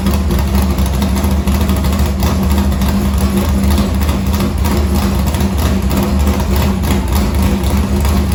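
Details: Morgan Machine-built V8 race motor (about 358), EQ heads, Edelbrock Victor Jr two-barrel intake, 85 carburetor, started after sitting a week and a half with fuel line unhooked: steady deep idle, even beat, no knocks or misses; normal.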